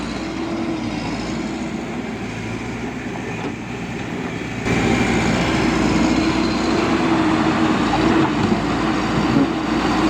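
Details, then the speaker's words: Backhoe diesel that would not start due to a clogging, recently calibrated injector; after cleaning and refitting the injector it runs steadily and evenly, rising with load midway and staying smooth: engine and hydraulics working normally. "So yun guys operation na yung Bak ho so sana naging okay na ito no so goods na"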